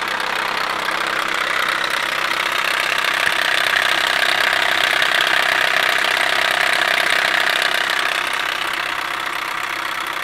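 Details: 2007 Chevy Cobalt SS Supercharged at idle after a morning start: loud, sharp top-end ticking knock about three a second; owner suspects a bad timing chain tensioner, unconfirmed.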